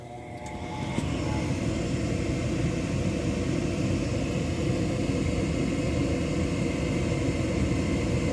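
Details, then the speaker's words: Gas furnace after flame sensor cleaning (it previously shut off after 5–15 seconds): burner lights with a soft whoosh and holds a steady, even low roar with no dropout; normal burner operation. "it usually shut off in about five or ten seconds it's still going so that's a good sound"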